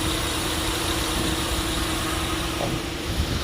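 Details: GMC with heavy misfiring at idle, engine shaking. Rough, uneven idle with a lumpy, stumbling low beat under the exhaust rumble. Launch scanner live data shows misfire counts on cylinder five while some others read zero.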